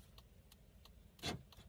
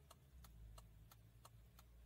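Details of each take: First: Fiat Palio whose turn signals had failed from a faulty BC body control module; after fitting the module back, the left indicator and hazards tick crisply and evenly about three a second over quiet idle; problem solved. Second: Fiat Palio, faulty BC body control module behind the fuse box: right turn signal clicks faintly and evenly about three a second, then the rhythm breaks, stutters and stops; hazards misbehave too.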